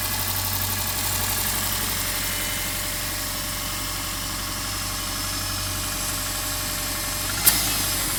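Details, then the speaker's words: Subaru boxer idling cold after replacing worn original spark plugs (blown seals, 0.060 gap, loose in head): light, uneven tapping about four per second; piston slap, disappears after 10–15 miles of driving. "That little knocking does completely disappear after about 15 miles of driving. As far as I can determine, it is piston slapped."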